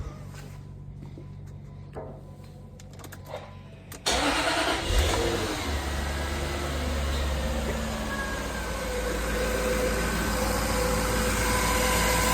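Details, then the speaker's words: Jaguar X308 XJ8 4.0 V8 automatic after replacing a split serpentine belt: brief crank, fires and eases into smooth, steady idle with no belt squeal or chirp; running sweet. "That's all it's all sweet as a nut now."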